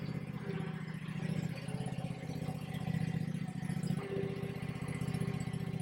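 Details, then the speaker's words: Kawasaki V-twin on a Bad Boy zero-turn mower, rebuilt after a fire with parts from a near-identical 691/726 motor, runs at a steady fast idle with an even, healthy throb. It is charging about 14 volts, the fuel pump works, and a little smoke comes from the bottom. "Oh, she sounds good. She sounds real good. She's charging."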